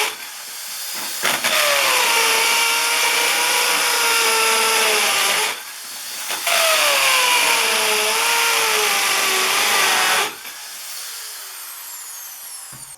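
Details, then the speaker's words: Hammer drill boring into concrete during DIY carport-to-garage wall framing: two bursts of fast, high-pitched rattling hammer action with the motor sagging under load; normal hammer drilling. "like I was saying this is a hammer action on on this drill and and you should be able to hear it this one has a really fast the cheaper ones are really fast but the the bigger ones you can really hear it like banging into that concrete goes a lot quicker"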